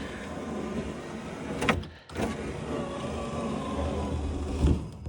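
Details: EcoBoost DeLorean driver-side door after installing a replacement window regulator motor: smooth, even motor hum for a couple of seconds with a soft stop at the top, no grinding or clicking; the window runs healthy.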